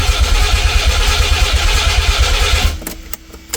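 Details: Nissan 300ZX twin turbo, sitting for 12 years, cranked after the battery was charged while the fuel pump was cycled; later it would not run properly. Even starter churning, about three turns a second for nearly three seconds, then it stops with a few clicks and no catch; crank, no start.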